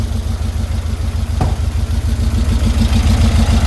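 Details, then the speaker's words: 1952 VW Split bus, new 1904cc stroker flat-four (74mm crank, 90.5mm pistons, replacing 1641cc), just started after a cut and weld: even steady low putter, no knocks or misses; a leak spotted shortly after; normal idle. "Now what we got to do is start it up. Vamos a prenderlo a ver cómo suena. There she goes. What do you think, guys? 1904."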